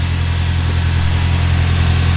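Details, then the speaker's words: Toyota 3RZ first cold morning start after a new cylinder head: steady, even idle with low hum, no ticking or knocking; idle sits high while cold. "she sounds good though engine wise no ticking no knocking"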